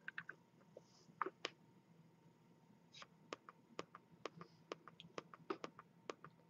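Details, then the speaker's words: Razer Mako 2.0 speaker, about three years old, ticks sharply over faint hum, about two per second, louder and faster as control pad dims; faulty capacitor, fixed by replacement. "this is the ticking sound it makes and it gets louder and the frequency becomes higher when the control pad dims"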